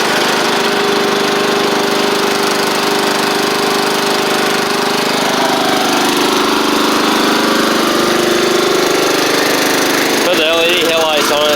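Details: Troy-Bilt Pony riding mower with a swapped-in Briggs & Stratton 12.5hp flathead, driven back and forth after the swap: single-cylinder runs at steady, even speed, no misses or knocks; healthy.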